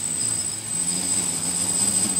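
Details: Flame Wheel F550 on a 4S battery with DX8 transmitter, motors armed during setup: steady high whine with slight pitch wobble as they correct, then even and smooth; healthy motors.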